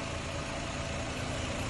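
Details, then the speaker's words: 2011 Nissan Rogue after cylinder head job, intermittent misfire traced with a PicoScope to a faulty coil wire set: engine idles smoothly and evenly; wire set still to be replaced. "cars running good idling perfect we just got to change that wire set"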